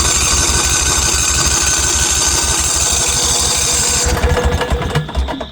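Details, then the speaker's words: Northstar 10000 10 kW auction generator, 2018 battery, unknown condition: steady rapid cranking chug for about four seconds with no firing at all, then stops; cranking sounds healthy but it won't start, cause not yet known. "Yeah. It's not even trying to fire over. Let's pop this off. And at least it's cranking. It sounds healthy."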